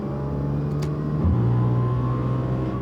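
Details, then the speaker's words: Audi S4 3.0 supercharged with test pipes, before fitting resonated X-pipe, heard in cabin: harsh buzzing rasp over engine note pulling from low revs under throttle. Exhaust rasp. "I'm not sure if this will come through video, but here's a little test on how it sounds at the moment. Raspy, full rasp."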